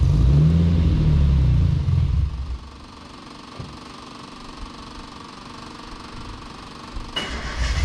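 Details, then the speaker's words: Datsun 240Z first start after build, with an aggressive camshaft: heavy, uneven loping idle with a deep thump for about two seconds before fading out. "she sounds pretty nasty that Cam's pr"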